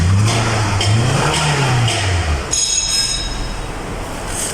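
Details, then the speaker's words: 2010 Toyota Camry with a crank-no-start fault (no check engine light) traced to a fuse, with the 5 V reference restored; engine now fires and revs smoothly, no knocks or misses; normal running. "now let's start the car oh now start the car it's good now is the car the engine is running"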